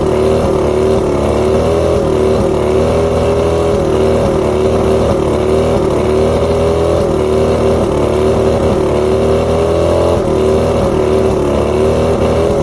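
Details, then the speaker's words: Outboard with rough idle, surging and misfires: coil output voltages read about 250 on every coil except coil 4, which is fed by the bottom switch box that controls the even coils. It runs with a wavering, uneven beat and small dips. Coil 4 tested good, so the faulty switch box causes the misfire. "So all of them are around 250 except for coil number 4. So that begs the question, is it the coil or is it the switch box?"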